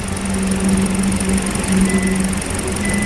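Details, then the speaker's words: Hyundai LF Sonata, check light, cylinder 4 misfire code, rough cold-morning start: idle hum stumbling about once a second; ignition waveform at cylinder 4 showed abnormal spark, faulty plug coil causing misfire. "이때 엔진이 부들부들 부들 하면서 부조했던가 봅니다 그래도 다행히이 차는 플러그 코일은 문제가 쉽게 원인이 나왔습니다"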